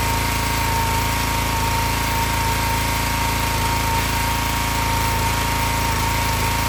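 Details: Excell XR2500 (DeVilBiss) pressure washer, 5 hp Honda engine, after replacing bad spark plug that caused stalling after 15 seconds: steady, even single-cylinder chug at constant speed, no stumbling or surging; running healthy.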